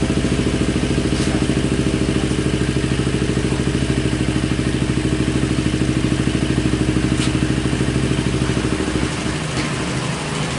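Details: Kawasaki Ninja 250 carburetted twin, hot engine that needs the starter and is hard to start on cold mornings, idles with an uneven, lumpy beat losing its even pulse; unstable idle, mechanic suspects the carburetor, not confirmed.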